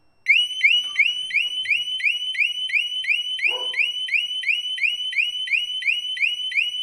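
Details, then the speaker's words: 2015 Harley-Davidson Street Glide Special with a newly installed HD Smart Siren II alarm (68328-06A/B), demo after the warning chirps: a loud, shrill siren sweeps upward about three times a second, repeating steadily. "it is loud so you will know if somebody's trying to get on your bike so here we go so that's the first warning chirp there's our second one"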